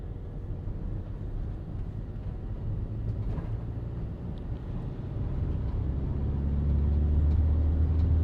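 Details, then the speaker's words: 2019 Fiat Doblo 1.6 diesel van on the road under full throttle after fixing a turbo with a hole: deep engine note building steadily with no air hiss, boost reaching target. "well that's it we got to 22,000 26 all that spot on or near enough I would say so that one matches that one and you can see that when we reached the fullu Boost the turbocharger actor command went low to limit the Boost"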